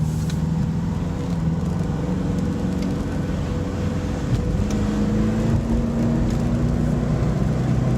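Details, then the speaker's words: Saab turbo engine at full throttle on a warm day, turbo gauge near the red, audible turbo spool; steady drone climbing smoothly under full load with no misfire, running strong after the loose fuel line on the fuel rail was rigged again. "See that turbo gauge. It's all the way over there by the red. Car's running real nice. But then again, Saabs love this temperature. Hear that turbo going."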